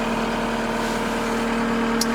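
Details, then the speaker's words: New Case SR240 wheeled skid loader, roughly 8 hours on it, just started: steady diesel idle, even drone, no knocking or stumbling, idle rising automatically; normal idle after cold start. "Hold it. And now she's running. Turn this off. You can hear the idle comes up there automatically."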